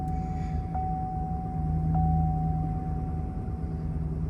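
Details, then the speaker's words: 2011 Chevy Silverado 5.3L V8 with cylinder 7 misfire (P0307), started after new spark plugs were installed: steady, even idle with a smooth low rumble, no vibration, stumble or misfire, and no check engine light. "Sweet, no weird vibrations or nothing. You can see our RPM and everything. Seems to be doing good."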